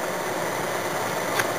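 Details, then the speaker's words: Toyota Yaris (USDM) with JDM automatic climate control conversion, blower stack not yet installed: soft, steady airy whoosh with no ticking, rubbing or wavering; blower motor running smoothly on lowest speed. "If I turn the fan on, we now hear the fan running at a low speed and we see the lowest speed setting shown on the"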